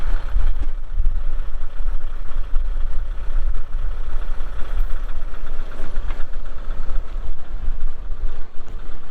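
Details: 2023 Kubota M62 tractor loader backhoe diesel, 227 hours: low even chug at steady idle, no knocks, misses or rattles; idling cleanly.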